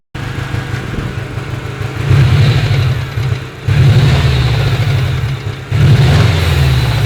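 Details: Subaru EJ20G turbo engine with a spun connecting rod bearing on one rod, after 11,000 km of winter use without an oil change and hard donuts: a dull rapping knock as revs rise and fall, plainest as the throttle closes; rod knock.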